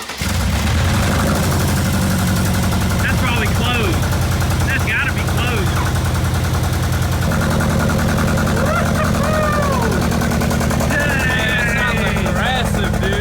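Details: Rebuilt wrecked 2022 Mercedes G63 V8 with new Armytrix straight-pipe exhaust using the OEM valve, first start: an uneven, popping beat as revs rise and fall. Runs rough; owner suspects oil in the spark plugs after a rollover.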